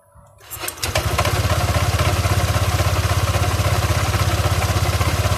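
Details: Honda Click 125i scooter: engine fires and settles into a fast idle with a light, regular tapping (knocking) over the beat at start, pointing to a top-end tick; cause suspected, not confirmed.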